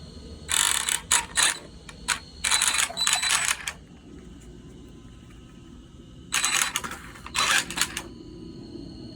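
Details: Arrma Senton RC car, drive shaft disconnected to isolate the noise, spur gear bearings already replaced; harsh raspy grinding bursts on each throttle blip from the rear drivetrain, brake engages after throttle release.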